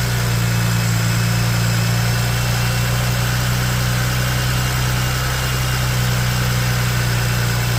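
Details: 2009 BMW 335i just after alternator replacement, charging about 15.2 V: smooth, even idle with a steady low hum and no whine, squeal or knock; engine runs normally.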